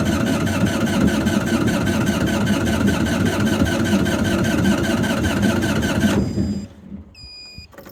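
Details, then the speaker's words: GreenMech Quad Chip wood chipper diesel, at yearly service after battery charge: steady starter churning about three beats a second for six seconds, no firing; likely no fuel in system, needs bleeding at the three injectors. "Hopefully she'll fire up. No fuel in the fuel system at the moment, I bet. I've got to crank it over a few times."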